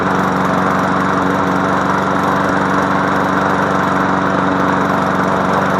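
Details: MTD Yard Machine push mower after fixing no compression by adjusting the valves: even, steady single-cylinder drone with no misses, surging or knocking; engine running healthy.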